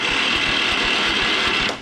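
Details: Riding mower engine, starter gear repaired by welding broken spring-keeper piece, camera close at starter, fuel off: high, even whir under two seconds, clean spin-down with no grinding or slipping; starter cranks normally after repair.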